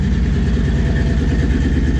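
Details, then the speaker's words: 1954 Chevy 3100 V8, cold, after filling radiator and clearing the code with an OBD2 reader, and after fixing a plug that wasn't firing: steady even idle on all cylinders, no misses; sounds much better, idle a little low. "There we go. There you go. Yeah. That sounds really good. I like that."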